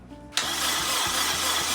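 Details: Honda Integra DC2, first crank since 2017: starter engages with a sharp clack and spins the engine evenly about four turns a second; cranking normally.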